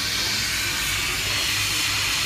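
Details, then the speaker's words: Subaru WRX MY13 intake pressure-tested at about 5 psi: constant sharp hiss of escaping air, boost leak found at the intercooler pipe, plus a tiny leak at the returned valve's flange gasket; valve itself works correctly. "it sounds like this car does actually have a leak. It's coming from down here on the intercooler pipe."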